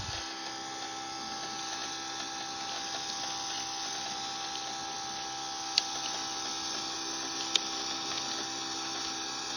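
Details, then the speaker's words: Engine on a prep stand, fuel pump priming during a start attempt while checking for fuel leaks. Faint, steady electric hum with a thin constant whine; fuel can be heard flowing through the return. Normal priming; starting was later traced to two bad crank position sensors. "check the fuel leaks again quickly good here I can hear the uh fuel flowing through the return now"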